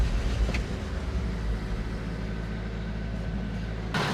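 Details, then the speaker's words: 1970s crane truck, over 50 years old, sitting over a year: on starting fluid a low, steady rumble catches and runs for a few seconds, confirming the engine has spark. "Told you we had a It sparked. It ran. How about that?"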